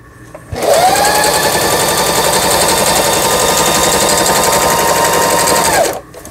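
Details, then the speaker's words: Singer 3827 sewing machine, about 6–7 years old, after full teardown repair of a seized pattern dial and reverse button: fast, even stitching chatter with steady motor whine, starting and stopping cleanly while pattern stitching; normal sewing, all functions repaired. "네, 바느질 잘 되고요. 각종 기능, 바느질 패턴 다이얼 정상적으로 움직이고 전, 후진 버튼 모두 수리가 잘 되었습니다."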